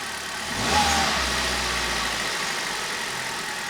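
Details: Hyundai i10 small petrol engine just after a spark plug replacement, mic left in the engine bay: a short crank, catches at once with a brief rev, then a quiet, even idle; runs fine.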